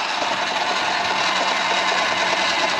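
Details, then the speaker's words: Sur-Ron Light Bee electric motor after a hall sensor replacement, under regenerative braking: a harsh, steady grinding rasp with no low rumble, as if the motor is tearing itself apart. The motor appears blown and also chugs while coasting. "let see if the regen oh God oh the regen literally sounds like it's just tearing the motor [Applause] apart"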